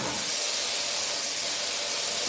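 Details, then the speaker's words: 1963 Impala air-ride system with two compressors, each feeding its own water trap: a strong, even two-second hiss of venting air cuts off cleanly as the tank is purged of moisture; routine normal purge. "and that purges all the moisture and all the air, all the moisture and water out of the system."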